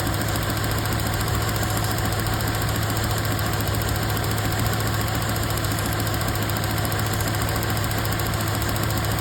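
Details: Toyota truck idling rough with a low, uneven stumble from a cylinder 2 misfire caused by a worn ignition wire; the fix was new spark plugs, wires and coil boots.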